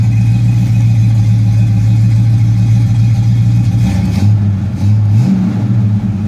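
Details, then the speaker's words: 1971 Oldsmobile Cutlass convertible V8 cold-starting at about 41 degrees, settling to a deep, steady, even burble with light blips, no knocks or misses; normal cold start idle. "I'll fire it up so you can hear it cold starting temperature was about 41 degrees on my"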